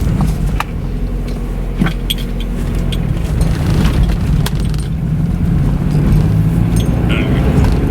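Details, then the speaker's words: Cold start on an old Mazda convertible being laid up for winter: deep, uneven, loping rough idle with irregular shake while cold, keys rattling. It had also been stumbling for about 15 seconds on warm restarts; cause not confirmed. "Yeah, this thing is rough when it's nice and cold."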